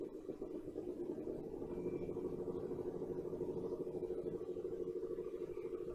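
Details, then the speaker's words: Old reel-to-reel tape recorder, after lightly oiling the mechanism: even whirring run with soft regular flutter about three per second, no scraping or binding; sounds happier and free. "oh yeah you like that didn't you it really seems to have liked that sounds happier already"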